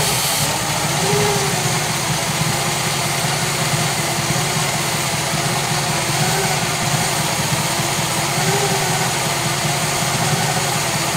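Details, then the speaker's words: 1966 Chevy Biscayne 396 big-block V8 idling after heat riser repair; owner says it runs a little rich. Steady, even idle with no misses, knocks or hunting; normal idle. "pretty darn good I'd say if these aren't good indeed it's running a little rich rich is okay rich is good rich is better than lean"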